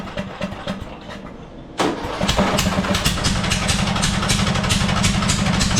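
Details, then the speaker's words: Murray 42-inch riding mower, 18.5hp Briggs & Stratton PowerBuilt OHV, new RC12YC plug fitted, started with choke: cranks then catches into an uneven stumbling idle with irregular chuffs about four a second; running rough, owner believes it's flooding. "Well, it is running very, very poorly. It's almost like the choke is stuck, but it's not."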